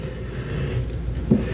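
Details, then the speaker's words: Kitchen faucet with water shut off: low rough scraping rumble as the handle is worked, the valve grinding when turned; suspected to need more grease or worn o-rings, to be disassembled, cleaned and greased. "so this is what i'm trying to fix if you can hear it you can hear how that grinds"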